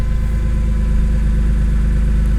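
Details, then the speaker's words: BMW E46 M3 after cleaning: smooth, even low idle with steady beat, no hunting, versus its usual up-and-down first-start idle; normal idle, no check engine light. "normally like on the first startup of the day it's like it goes up and down not like crazy but like you could you can notice it but right now it's like super super steady"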